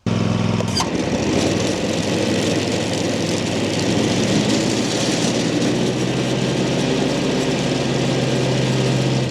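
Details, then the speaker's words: Land Pride ZTS 48-inch zero-turn mower: steady engine roar with a loose buzzy rattle at part throttle, quieter at full throttle; belt tension and bearing fine, owner suspects resonance rattling loose hinge bolts or idlers, not confirmed. "Seems to be a little bit quieter at full throttle. So, it may just be hitting a resonance there that is rattling some stuff around like the I don't know, any bolts like on the hinges like for this thing."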